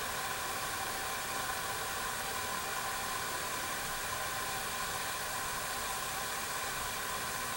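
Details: Jensen #5 electric steam engine warming up with new gaskets, no water leaks: steady even hiss with faint sizzle, no knocks or sputters, boiler heating and building pressure normally.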